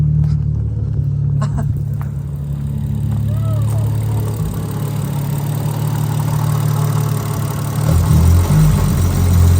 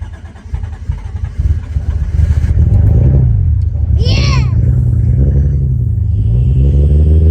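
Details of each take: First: Toyota Supra 1JZ-GTE just moved to a standalone ECU, timing set, after stalling from idle: restarted engine runs with low, uneven drone and shifting pitch; oil and fluids fine, something wrong, cause unknown. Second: Supra 1JZ-GTE newly on a standalone ECU, first start after loading the tune: a low burble that settles into a fairly steady idle after early unevenness; normal idle.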